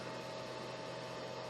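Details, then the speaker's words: Samlex 350W pure sine wave inverter on four 12V batteries in parallel, powering a refrigerator at under 1 A: load-sensing cooling fan kicks in at high speed with a steady, even whir and faint hum, no rattle; normal. "you can hear the inverter because it has the uh load sensing when you put um load from it that time started drawing the fan kicks in in a high rpm"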